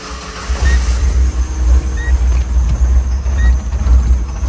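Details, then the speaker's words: Tata CNG car with an A34 engine control box, idling deep and lumpy with surging revs that stumble and stall. It will not rev up, has no power and vibrates. Codes show a shorted modified fan circuit and O2 sensor faults. "เครื่องสะดุดนะรอบสวิงแล้วก็ดับมาเนี่ย[เพลง]เร่งไม่ขึ้นเร่งไม่ขึ้นไม่มีแรง"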